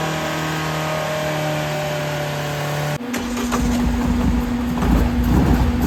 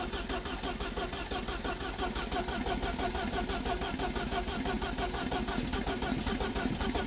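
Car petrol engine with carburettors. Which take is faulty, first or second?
second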